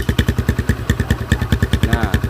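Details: Motorcycle with a home-modified GL exhaust, longer muffler insert fitted, at idle: loud, choppy idle beating about twelve pulses a second with a hard raspy edge; muffler insert position makes the note harsh.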